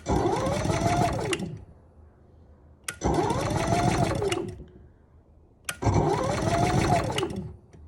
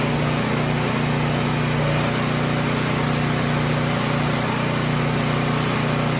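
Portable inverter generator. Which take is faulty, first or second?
first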